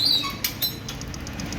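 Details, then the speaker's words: Bajaj Pulsar with code P0508 and no key-on valve noise, after fitting a new idle air control valve (part 36PF0178): at key-on about twelve soft evenly spaced high ticks, the valve stepping as it should. "இது model model இதை பாருங்க, key போடுறோம், noise வருது பாருங்கள்."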